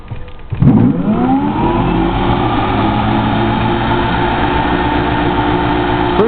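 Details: Samsung washer motor on custom three-phase PC board driving 120 VAC 60 Hz generator lighting a small 120 V lamp, after long storage, drawing 4.23 A: rising hum settling to loud buzzy whir; noisy but running normally.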